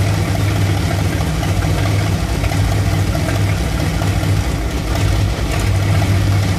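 Warm V8 idle with a low, lumpy beat that rises and falls unevenly instead of holding steady; rough idle, cause not yet found.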